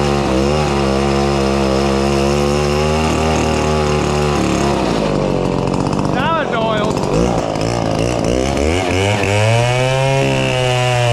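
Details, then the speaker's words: Chainsaw cutting logs, possibly a Chinese-made clone, bar end running smoking hot; buzzes under cut with a wavering, sagging pitch that never climbs to a crisp scream, gutless and bogging, not pulling RPM: low power, engine not reaching full RPM. "that saw is a gutless dog it is pretty bad better it just it wasn't even pulling any RPMs"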